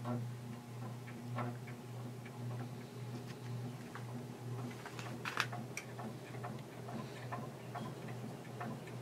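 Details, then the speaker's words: Antique Century ceiling fan with all four blades fitted, on high speed after being taken apart and oiled, drawing 3.04 A; steady motor hum with light uneven ticking as it wobbles slightly at speed, blade imbalance that a balancing kit should fix. "I already started it but I'm gonna going to start it on video it's on high right now and plug it in wobbles a little bit when it gets up to speed but not too bad"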